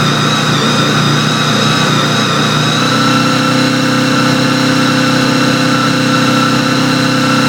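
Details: Honda VFR800 V4 held at steady mid revs, around 3,800 rpm: uneven stumbling beat, a misfire only at that rpm. Owner suspects the throttle position sensor is failing; not confirmed.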